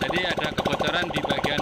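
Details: Honda Vario 125 LED scooter at idle after repairing leaking cylinder head gasket that made radiator coolant spurt up even when cold, coolant now calm: quick evenly spaced putter, no skips or knocks; normal idle.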